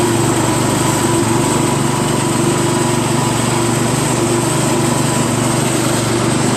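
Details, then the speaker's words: Craftsman LT1000 lawn tractor with a newly installed drive belt, first test ride around the block: small single-cylinder engine holds a steady, even beat at constant speed, no misses or knocks; runs fine, drives a little noisy, steering stiff. "I just went around the block. Seems to drive fine. little noisy, but and the steering's kind of stiff. But made it back okay. Engine seems to run just fine."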